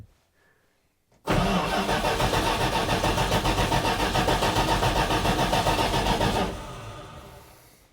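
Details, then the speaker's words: 1980 Dodge W200 truck, carburetor dry, about 3 gallons fuel, in neutral: starter cranks steadily about four beats a second for five seconds with no firing; engine starving for fuel, no start. "The fuel gauge moved a little bit, so let's crank it. It's going to take a while to pump up, I think."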